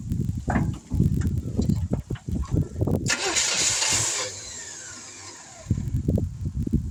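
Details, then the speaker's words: 1971 Chevrolet C10 after sitting for decades, cold outdoor start, a little fuel poured in, no fuel pump: uneven low thumping, then it catches with a rush for about a second and fades out. Owner guesses not enough fuel. "Oh, my guess is not enough fuel. It seems like she wants to."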